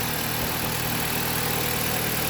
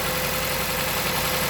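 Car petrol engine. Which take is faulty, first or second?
second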